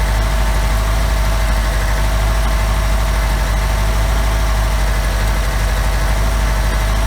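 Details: OMC 2.5 L 140 hp sterndrive in a 1981 Sea Sprite, first start after sitting, on water muffs and warming: a steady, even low rumble with no knocks, misses or hunting. Quiet, smooth, normal idle.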